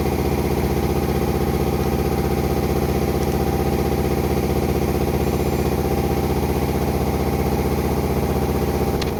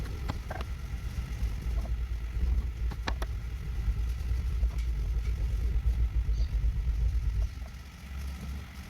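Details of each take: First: Toyota Land Cruiser VDJ76 2005 V8 diesel with manual gearbox after reconditioning with new input shaft bearing: steady idle with an even beat of about three per second, no whine or rumble from the gearbox, then engine shuts off. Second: toyota landcruiser VDJ76 input shaft bearing noisy when in neutral and noise gone when clutch pedal pressed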